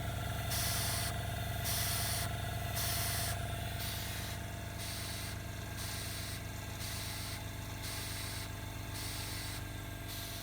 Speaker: Okay, so lung is filling up. And it starts to cycle. I don't know if you can hear the valve going up and down. So it can do this for hours.